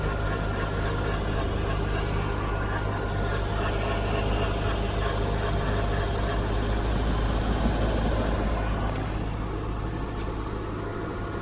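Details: 2009 Mitsubishi Lancer on cold start only: intermittent thin, steady electronic-sounding tone over the low idle hum, seeming to come from under the driver side near the battery area; cause unknown.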